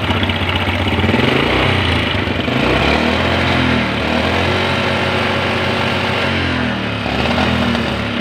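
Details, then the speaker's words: Honda Grand motorcycle that smokes badly runs harsh, rattly and uneven with a coarse mechanical clatter. Oil is suspected low and was then found completely empty; oil starvation scored the liner, wore the piston rings and loosened the connecting rod. "Ini suaranya kasar sekali teman-teman ya. Kemungkinan besar karena motor ini ngasep parah sebenarnya, kemungkinan besar olinya berkurang ya."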